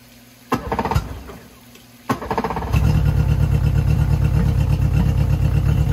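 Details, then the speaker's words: Yamaha F50TLRB 50hp 4-cylinder carbureted 4-stroke outboard, started stone cold on a water hookup, ignition already checked by owner: lumpy, uneven cold idle; stumble evident, present at all RPMs, carbs to be rebuilt. "immediately at idle with the engine cold we could hear the stumble is evident"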